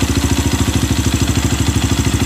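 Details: Honda CRF fuel-injected single-cylinder, with little fuel in the tank: steady, even idle at about nine beats a second with no misses or hunting; fuel pressure right at 40, normal idle.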